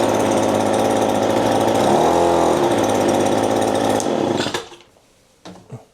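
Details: Echo PB-2520 two-stroke leaf blower running after a temporary fix for its jammed starter cord, spark plug included. It buzzes evenly at high revs, dips briefly, then runs smoothly until shut off at about 4.5 s; healthy.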